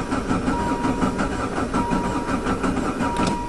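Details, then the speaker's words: Diesel van with Jetta diesel engine conversion, sitting since fall, after glow plugs: long steady cranking with no firing; fuel had drained back and the injector pump seemed empty, fixed by priming. "almost it's just sucking that fuel that's ran away started better than that in the wintertime try again huh come on baby it's never taken this long"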